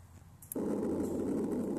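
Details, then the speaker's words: Buried water line under a gravel driveway, pressurized with nitrogen to amplify the sound, ground mic on the pinpointed spot: a steady, loud rushing hiss of a serious underground leak. "that's what a serious leak sounds like"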